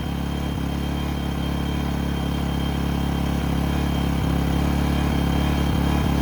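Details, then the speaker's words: A-iPower SUA1500i 1500W inverter gas generator idling with no load in economy mode: a steady, even, low hum with no knocks or hunting, about as quiet as a Honda; a normal idle. "wow hey y'all that thing sound that sound about quiet as my Honda"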